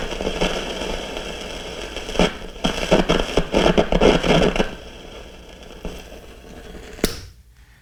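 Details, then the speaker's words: RCA CR-88 receiver restoration: a removed 4700 pF mica capacitor tested under applied voltage in noise mode at high gain gives loud, irregular crackling and popping over hiss, so the capacitor is bad and is being replaced. "definitely say that that's bad so you know that that one's bad"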